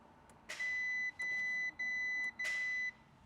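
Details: Fire-damaged Audi RS6 under rebuild, start attempt after wiring restored and module fault codes cleared: four steady high beeps about half a second each, evenly spaced, no cranking or engine noise; a no-start warning, cause unknown, wiring to be rechecked.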